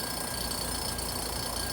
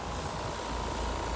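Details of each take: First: 2-ton heat pump, no heat, low side ~50 psi (expected 85–96) and high side ~350, liquid line and outdoor coil freezing: constant droning compressor hum with thin steady tones; compressor noise from low refrigerant charge. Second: 2-ton heat pump outdoor unit, 37°F outside, after adding about 10 oz refrigerant (low side ~75 psi): steady even hum and fan rush, earlier compressor noise gone; normal compressor operation, tech suspects slow leak or improper original charge.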